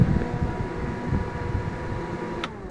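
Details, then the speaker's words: Forwarder cab fans, two fans, switched on by the auxiliary switch with key on: even whir with a steady faint tone, no rattle or grinding. Cab fans running normally. "There's an auxiliary switch right there, and that's what turns the fans on. If you turn the key on, hear that? They're going."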